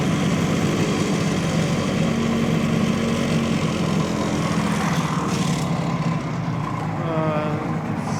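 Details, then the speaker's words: 1970 Suzuki T350 Rebel two-stroke twin, revived after sitting idle for years, spark and compression checked, B7HS plug, carburetor suspected, hard to warm: runs unevenly, pace sagging and recovering, barely staying running; engine struggles to stay running. "running stay running come on maybe I'm getting out of boat hard to warm"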